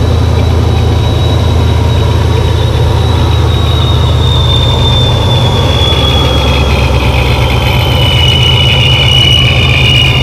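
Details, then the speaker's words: Car after installing a Fore Innovations dual-pump fuel system, smaller Griptech pulley, new intake and tidied vacuum lines: started first try, steady even idle with faint high whine over smooth rumble, fuel pressure holding 45 psi; healthy idle. "as you can tell if you can hear me it runs very smooth plenty of fuel pressure"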